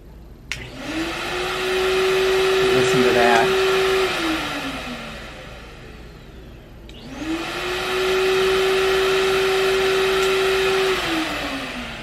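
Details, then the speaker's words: Beam central vacuum after handle and electric wiring harness replacement. Steady motor hum rises on switch-on, holds an even pitch for a few seconds, then winds down, twice; the new handle switches the vacuum on normally. "okay so we now know that it's turning on the vacuum but will this activate the wand"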